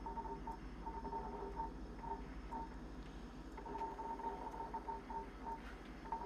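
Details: Jenn-Air high-end French three-door refrigerator with ice maker: short high-pitched chirps in irregular bursts over steady hum; support calls it expected.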